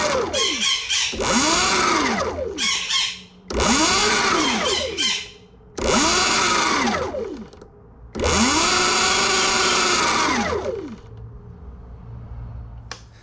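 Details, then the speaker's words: Sur Ron/Luna XX bike after loosening a factory over-tight primary drive belt: four smooth whine bursts rising and falling with wheel speed, no slap or chatter; belt now correctly tensioned. "Okay, so I think I got it set up pretty good now. Take a little check."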